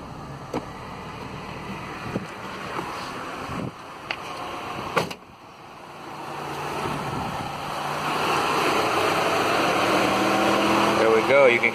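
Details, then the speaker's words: 2000s Mitsubishi after replacing the cooling fan controller, engine running: clicks then a rising strong whoosh as both fans spin up with AC on, stopping when AC is switched off; fixed. "those fans turning big time awesome shut the ac off and the fans are stopping cool that's fixed"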